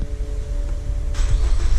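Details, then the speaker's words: Lincoln MKZ after rear brake job with electronic parking brake taken out of service mode: starter cranks briefly, engine catches right away and settles to even rumble; normal start. "and the car starts right up."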